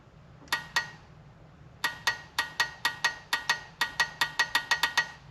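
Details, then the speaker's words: Polaris RZR 900 fuel injector bench-tested with alligator clips: crisp, identical metallic clicks at both spaced and quick pulses; the injector opens properly. "that one sounds good. I can hear it clicking. So we know this was opening as well."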